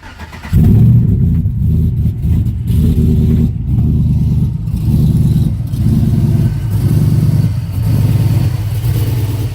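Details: 5.3 V8 engine swap: catches and settles into lumpy, uneven idle with wavering loudness; misfire and rough running, fuel pressure suspected, not confirmed.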